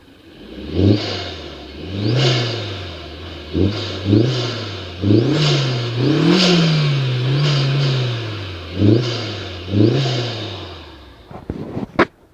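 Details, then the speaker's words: 2002 VW Jetta 1.8T, 149,847 miles, after new injectors, fuel rail, MAF, turbo seals and short cold-air intake, revved from outside: quick blips climb freely and drop straight back to steady idle; smooth, clean revs. "I'll rev it up here. It's got good revs."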